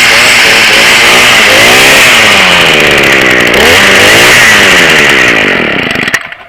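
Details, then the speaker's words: Weed whip two-stroke after priming bulb, choke on, trigger held, then choke off: high buzzy wail rising and falling with throttle, fairly even, dying away at end; normal running after cold start. "And pull until she makes a sound. You hear that? Now she's ready to go."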